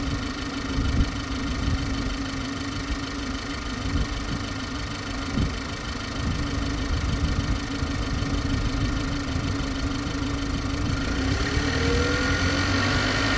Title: G20 Bmw 330i strange noise